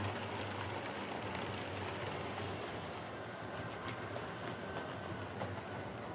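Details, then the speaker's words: Hornby R2329M Britannia Class "Dornoch Firth" model locomotive, donated for overhaul: noisy motor drone with a pretty bad whine over rail clatter, like an old Fleischmann motor; may ease with running, owner will look again. "it's a bit of a noisy one uh yeah it actually sounds like the old Fleischman of silver sealing fuel motor um you know it's got a pretty bad wine"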